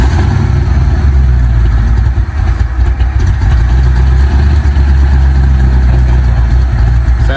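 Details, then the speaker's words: Ford F100 with shorty headers, 3-inch pipes and no mufflers, just started after several cranks: loud, deep, steady V8 burble at idle, evenly firing with no ticks or stumbles; a healthy idle. "Sounds good though. What do you think about that? It's kind of better without mufflers."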